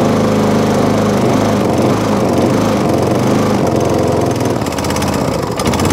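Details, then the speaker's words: MTD push mower. It runs rough and uneven, surging and sagging while struggling to stay running: possibly hunting from air starvation by the air filter, which is about to be removed. "let me just take that air filter off very quickly see if it makes any difference it's strange because it's been starved starved with air beforehand"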